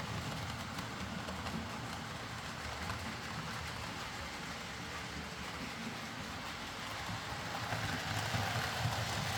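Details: Hornby R.372 Class A4 "Seagull" tender-drive model loco after repair: stop-start running likely from excess axle oil spoiling pickup; steady even hum and light rumble, no catching or stutter, running smoothly and quietly.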